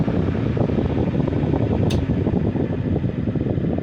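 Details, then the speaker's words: Vintage Sears Kenmore 124.8055 fan on low setting: steady strong air rush with little drop from high, only about 15% slower instead of half; failed speed coil, later replaced by triac speed control. "And it used to be that would reduce the speed to about half, but now it only cuts at about maybe 15%."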